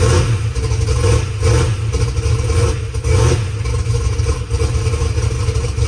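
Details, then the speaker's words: Methanol drag race car after sitting two weeks: rough heavy lumpy idle with uneven surges and slight rocker arm clatter, a little noisy but not terrible; no exhaust leak tick, running acceptably. "But overall, I didn't feel any exhaust leaks, didn't hear anything. Rock arms sounded fine. They're a little noisy, but not terrible."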